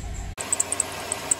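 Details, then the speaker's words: 1995 Chevy Caprice Wagon, LT1/L99 engine at idle: sharp, high, irregular serpentine belt chirps; belt slipping because the tensioner spring has gone soft. "were you screaming at me to make it stop when it's making that kind of chirping sound it's either the belt or the idler pulley has gone bad the tensioner"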